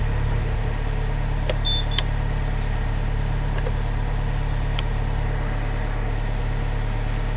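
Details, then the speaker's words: Mustang machine's diesel holds a steady, unbroken idle with faint clicks, no cut-out, after the seatbelt switch was shorted with wire. "sorted it oh brilliant okay my issue is the seatbelt switch is gone"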